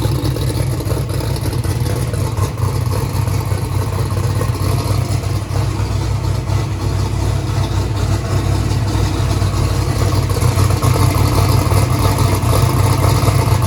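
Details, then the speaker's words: 2500hp 427ci small block Ford V8 race engine on first start-up, lumpy uneven stumbling idle; dash showed cylinder three not sparking, and a loose spark plug wire had earlier triggered the red warning light. "we also found a loose spark plug wire that's the reason it was turning on the red light earlier so i'm gonna crank it again"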